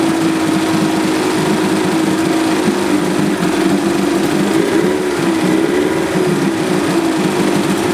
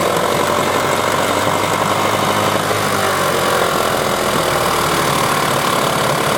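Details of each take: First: 1978 Johnson 25 hp short-shaft two-stroke outboard after carburetor cleaning for a no-start: steady even idle with light buzzy note, holding speed without stumbling; now starts and runs cleanly. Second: 1994 15 hp Johnson/Evinrude outboard with impact damage and dual coil setup; uneven, lumpy idle with a stumbling beat as if running on one cylinder, owner suspects a gummed-up carburetor, cause unconfirmed.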